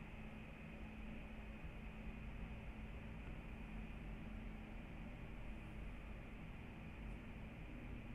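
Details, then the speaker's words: 2019 MacBook Pro 16-inch (AMD 5600M HBM2) with two monitors connected and several apps running, Final Cut Pro being closed: quiet, steady airy fan hiss with a faint hum and no rattle. The fans run normally. "so the fans have quieted down but it's still not silent because maybe i do have a few things going on so let me close final cut pro still hear the fans a little bit"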